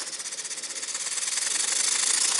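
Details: Muncaster table steam engine powered by a gas-fired 3-inch firetube boiler at around 50-60 psi: rapid, even hissing exhaust beats, about twelve a second and picking up slightly; runs fast and clean.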